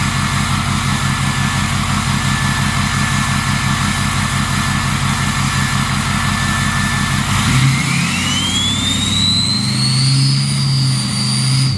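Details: Ford 6.0 Powerstroke diesel with a new stage 1.5 63.5 mm 10-blade turbo replacing stock: lumpy idle, then revs bring a rising whistle that climbs high and falls back as the throttle eases. Healthy turbo spool.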